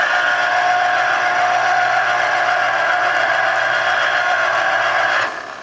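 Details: Chef's Mark electric citrus juicer, bought around 2002–2003, juicing limes; steady even whirr at constant pitch, no knocking or grinding, until it cuts off; normal motor running under load.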